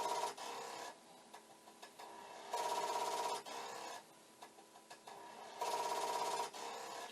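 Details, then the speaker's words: Commodore 1541 disk drive for C64 under repair: harsh buzzing bursts every couple of seconds as the head keeps banging its stop; the light never flashes and the drive never settles to read. "the light should just start flashing and the head banging should stop but it is not happening"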